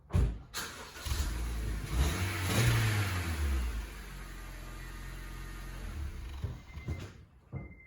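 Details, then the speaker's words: 2010 Honda Civic after exhaust replacement with a new pipe and muffler: the engine catches, blips up and settles. Deep, even exhaust note with no whistle or rattle. Normal, leak-free exhaust. "Sounds like new. No whistling Dixie. No whistling diesel. Sounds like new again."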